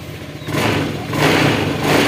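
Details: Honda Scoopy ESP fuel-injected scooter after fuel pump filter fix, previously needing up to 10 kicks to start: quick, clean throttle blips, revs climb and settle evenly with no stumble or misfire; more responsive, running healthy.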